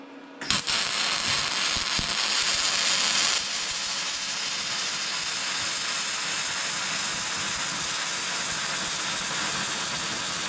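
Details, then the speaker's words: Vevor MIG-250 welding with gas-shielded MIG wire: a harsh, loud hissing crackle lacking a steady fine sizzle, wild and spattery; the voltage is set a bit too high, though the weld still holds solidly. "See küll kuhugi ei lähe... Pinge on veits suur See on pommikindel"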